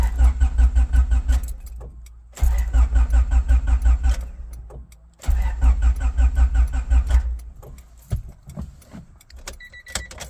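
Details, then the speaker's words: Honda that shut off while driving and now cranks but won't start, even after the distributor was replaced; steady chugging starter bursts that never catch or pick up speed; cause unknown. "I was driving along and I have no idea why but it won't start it cranks over"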